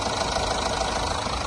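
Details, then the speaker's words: Mahindra Thar BS6 engine after flood-damage overhaul (head refitted, crankshaft turning freely by hand), first start: steady, even idle with dense uniform chatter, no knocks or misses; sounds like the original engine sound, healthy. "আমাৰ engine complete হৈ গ'ল, উঠাম এতিয়া। এতিয়া আমাৰ start হ'ল sound ধুনীয়া।"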